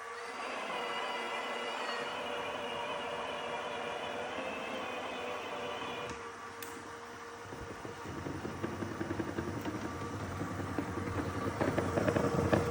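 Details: New Dyson robot vacuum failing to dock properly: steady whirring hum, then from about eight seconds a harsher, louder rattling scrape builds up; brush found damaged within days, rubbing in the brush area suspected, not confirmed.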